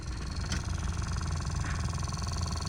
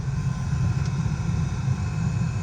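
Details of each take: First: 2016 Honda HR-V cabin blower motor failing: steady fan rush with low uneven "da-da-da" thumping underneath, while all modes and heat/cold still work; blower replaced with new unit. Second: 2016 Honda HR-V cabin blower at full fan speed after replacing the noisy, weak blower motor: smooth, steady low rush of air with no ticking or flutter; normal blower motor.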